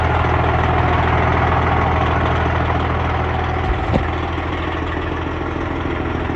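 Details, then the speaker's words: Freightliner Cascadia with a straight-piped Detroit 60 Series diesel, in neutral, warmed up a little after a cold start: loud, steady idle with an even low rumble and a quick throttle blip, no knocks or misses; healthy warm idle. "The truck has warmed up a little bit."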